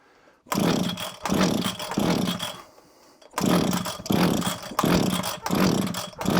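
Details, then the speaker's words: Probably early-1980s Komatsu Zenoah Pro 26 two-stroke strimmer, possibly sat a while, throttle locked, off choke; repeated pull-cord bursts each catching briefly with a rasp then dying; hard starting, fires but won't keep running. "a bit of smoke come out the back that definitely did something I definitely heard it it said yes I do want to go"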